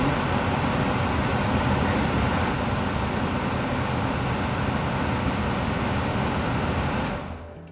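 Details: Attic gas furnace, fan started by jumping wires at the control: steady, even rush of air from the blower, no rubbing, ticking or rattle, trailing off near the end; normal fan operation.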